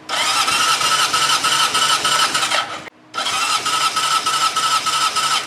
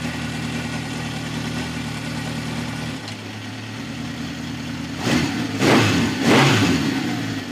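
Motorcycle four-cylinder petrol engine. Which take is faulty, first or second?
second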